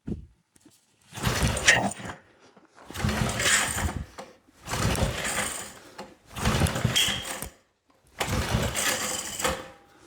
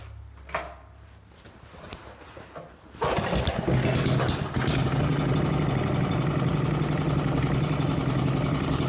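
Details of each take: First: 1970s Briggs and Stratton engine from a flea market, throttle cable removed, being pull-started on the floor: five separate pull-start bursts of rapid chuffing with no catch; cranks but won't fire, later blamed on a dirty carburetor. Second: 1970s Briggs and Stratton engine, reassembled with its ignition points. After a couple of pulls it catches at once and settles into a steady, even putter with no misses or knocks; it runs well.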